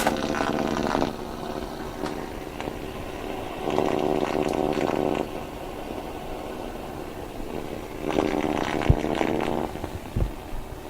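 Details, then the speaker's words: Radio interference on the AM band around 1218 kHz, radio tuned at the edge; the signal drifts slightly in frequency, so raspy buzzing swells in and out over the hiss. Source not yet identified; it seems stronger and crackles when the radio is closer. "This signal varies in frequency slightly, and that's why it's coming and going on this radio. Because I'm tuned on the edge. It's coming into the range of the radio and back out again."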